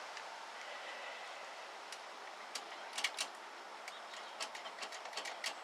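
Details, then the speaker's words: 1964 Ford Thunderbird with 30,000 miles showing on the odometer: sharp, irregular clicks, some in quick clusters, from the horn relay chattering under the hood; cause not yet checked. "I can hear the horn relay clicking under the hood, so we'll have to take a look at that, see what's going on."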